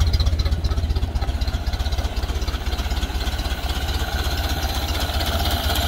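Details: Ford Model A off the road 65 years, with fresh gas and corrected ignition wiring, slightly choked: slow, steady low chuffing about four beats a second. Idling nicely and low, as these do; sounds good.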